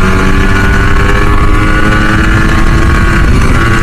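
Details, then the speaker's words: Yamaha RX100 two-stroke under restoration, fitted with a Japanese carburettor, previously run on gas, at full rpm with throttle fully open: loud, steady two-stroke ring, clean and even with no popping or missing; healthy note. "Full RPM full வால் திறக்கும் போது வர அந்த ஊன ஒரு sound இருக்குது பார்த்தீங்களா?"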